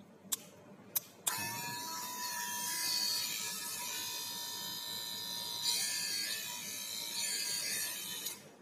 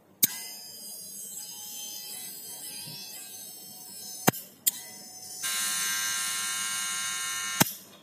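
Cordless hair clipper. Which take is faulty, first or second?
first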